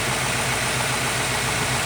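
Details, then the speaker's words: Ford engine with newly installed MPFI system, after smoothing sharp intake edges and drilling a 1/8" throttle plate hole to cure an intake whistle and hum: smooth idle, no whistle, faint fast fuel injector tapping. "you get the engine going I can actually hear the fuel injectors tapping"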